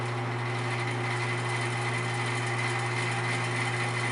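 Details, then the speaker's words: Vintage Arctic Air fan fully reassembled, highest speed, still ramping up: steady even hum with constant airy whoosh, no ticking, scraping or wobble; normal running. "so this will be the highest speed right here it's really moving a lot of air it's impressive it's not done ramping up you start to fly out of my workshop here"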